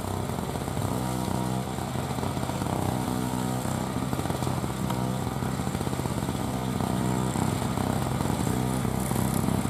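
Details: 2003 Murray single-stage two-stroke snow blower, first run in 5 years, clearing snow: a loud, steady drone holds speed evenly under working load with no misfire or surging; normal running under load.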